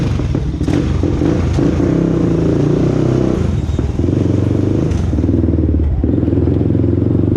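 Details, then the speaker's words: 2001 Honda TRX400EX single-cylinder quad on test ride at about two mph after ticking noise fix: low steady thump with no tick over the stock exhaust note; normal running after repair. "do y'all hear the chicken noise yeah I don't hear no ticking noise"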